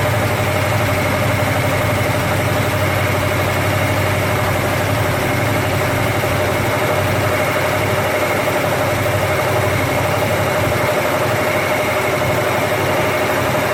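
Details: First start of a rebuilt 289 V8 after an almost two-year restoration, never run before: a steady, even fast idle around 1800 rpm during break-in, with no knocks or misses. Oil pressure is great and coolant is warming. Healthy.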